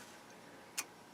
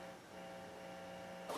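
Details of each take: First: Bryston 0.5B preamplifier paired with 3B power amplifier, switched on from zero draw: one short crisp relay click over near silence, settling around 10 watts; normal power-on relay click. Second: Bryston 3B power amplifier and 0.5B preamp combo: faint steady low hum with higher buzzing overtone; aluminum lid gives no magnetic shielding, possible broken ground connection suspected; residual hum.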